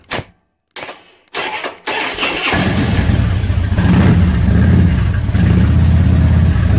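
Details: 2005 Harley-Davidson Road King, carbureted, first start in a year with a battery fitted, choke pulled; a few cranking bursts, V-twin catches about two seconds in and settles into a steady, lumpy choked idle.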